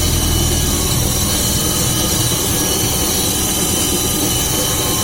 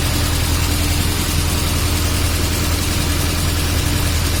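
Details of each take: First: VAZ classic (2101-2107) rear axle, car raised on stand, engine running with wheels spinning: constant deep droning hum with rushing noise from worn axle shaft bearing, heard clearly on one side; owner first thought differential; bearing to be replaced. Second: VAZ classic (2101-2107) raised on stand, brake drum removed: steady low hum with even mid tone, no rattle or knock at rear hub; earlier rattle gone, bearing sounds healthy.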